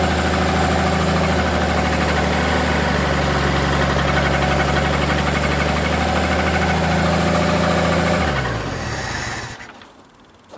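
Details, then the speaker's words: Forklift engine at idle after rebuild work: a steady knock about four times a second over the idle until shutdown, caused by the hydraulic pump left loose on its mount; fix is tightening the pump down. "that knocking noise was actually the uh hydraulic pump I hadn't tightened that down"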